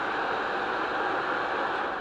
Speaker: So now I'm going to ground this wire and you're going to see and you're going to hear the fan turn on.